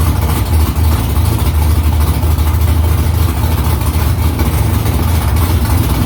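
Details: V8 with newly installed headers and exhaust back under the car, first start after about three weeks of work. Deep, loud, slightly lumpy burble with open-sounding exhaust and no ticks or knocks; louder in-cabin with seat vibration. Smoke is drying header silicone. Normal idle.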